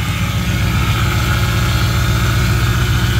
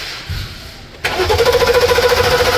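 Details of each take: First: Mercedes-Benz S550 with crank no start from no fuel, after fuel pump and filter replacement: steady even low hum at idle with no misses, knocks or ticks; engine runs smoothly, possible small leak noise noted. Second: Mercedes-Benz S550 towed in: quick even cranking about a dozen pulses a second without firing; spark good, no fuel, pump power and ground tested good, failed fuel pump replaced.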